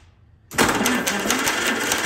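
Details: 1944 Allis Chalmers B tractor in neutral on an external battery with all spark plugs removed, after starter drive gear replacement: a quick, even whirring crank with no compression pulses. The starter works.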